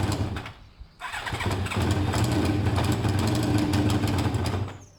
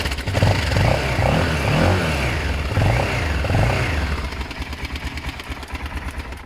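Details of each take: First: BMW F650 warming up with intake restricted by drilled holes (two per cover): engine catches after cranking and settles into a steady, slightly uneven beat while balancing too much versus too little air. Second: BMW F650 motorcycle with no choke, after ignition coil work: fires promptly, revs cleanly through a few blips and drops back to a steady, even idle pulse. Starts and runs healthy.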